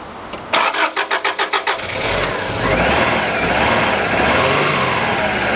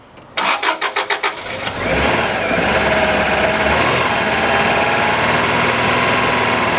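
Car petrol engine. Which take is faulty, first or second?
first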